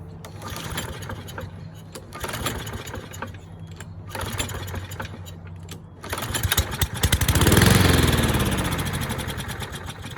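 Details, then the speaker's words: Curbside Toro mower, model 20370, fired after a spray into the intake with the air filter off: a few weak tries, then it catches, revs for a couple of seconds and winds down to a stall. It starts and dies, judged a dirty carburetor. "Alright, so starts and dies, so that's definitely a dirty carburetor."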